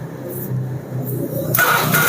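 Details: Carbureted Honda Vario (early generation, KPB code) that came in dead, starter tested after repair work: short starter whir, then the engine catches and settles into a steady run; normal electric start.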